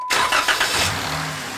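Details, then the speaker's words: Jeep Wrangler JKU Rubicon, 3.6L Pentastar, after oil change; Dorman aluminum oil filter/cooler housing one year and 4,000 miles old. Brief wide-open-throttle crank bursts, then the engine catches and settles to a steady, quiet idle: normal start, no start-up rattle. "there was no rattle there was no it there's just no drama when you do that it's Peace of Mind"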